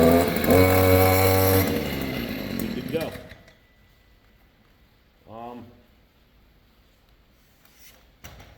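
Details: Stihl string trimmer (small two-stroke) after an inner drive shaft repair and bolt re-secured with Loctite: crisp, strong rev with an even buzzing note for about 1.5 seconds, then a clean shutdown. Normal running.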